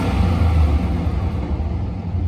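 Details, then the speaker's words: 2004 GMC Sierra 2500HD, 6.0 LQ4 V8, at operating temperature with good oil pressure: deep, steady rumble with no knocks, ticks or misses; a healthy, solid idle that responds to throttle. "We got a good solid 6 liter here. It's now at operating temperature. Still has good oil pressure. Still responds to throttle."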